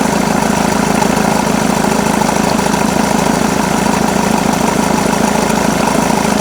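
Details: Jaguar X-Type 2.2 diesel (QJBA, 155 hp, 2005–2010) idling: fast, even clatter with a busy rattling layer on top once the A/C engages; engine noise when A/C on, source unconfirmed.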